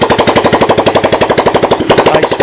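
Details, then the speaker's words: Honda 200S dirt bike fitted with a replacement 185S engine (original 200S engine wouldn't run, suspected leaky intake valve), started with a drill starter, about 76°F: single cylinder thumping evenly with crisp exhaust pops; healthy normal running. "I put this guy in well you can hear start it right up there you go"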